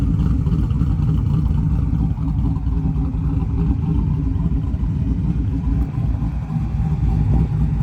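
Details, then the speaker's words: 1995 Chevy C1500 with LS swap, fully warmed up after a 30-minute drive, idling: deep, heavy loping chop about three to four beats a second; the intended big-cam lope, engine healthy. "Oil pressure, fuel level, tach, speed, battery voltage, everything works, so that's awesome. Here's a little idle chop for you."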